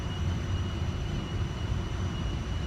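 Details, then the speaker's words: Toyota Avalon climbing Santa Margarita Pass at mile 412, right after A/C switched on: faint but noticeable steady high squeal over low road and engine drone under load; cause undetermined. "you might be able to hear, I got this loud, well, it's not loud, but it's loud enough squealing sound. Doesn't sound promising."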